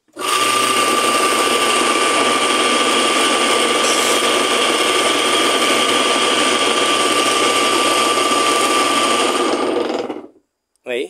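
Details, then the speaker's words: Washing machine motor rebuilt after a melted wire, bench-tested after repair: a steady, strong, even whine at constant speed for about ten seconds with no rubbing or stumbling; motor runs normally with good speed. "Vocês viram que pegou uma velocidade muito boa, né? Tá muito forte."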